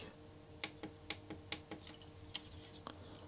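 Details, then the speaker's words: Atari-style digital joystick with plastic pushing on metal spring contacts, some worn out: about eight crisp, sharp clicks at an uneven pace as the button is pressed; this contact is better and clicks normally. "this one seems to be a little bit better you hear the click"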